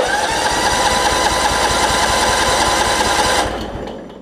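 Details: Craftsman LT1750 Limited Edition riding mower with a mouse nest, a battery that had some corrosion, and gas of unknown quality: the starter whines and the engine turns over about four times a second for three seconds but never catches; the fuel pump is not priming.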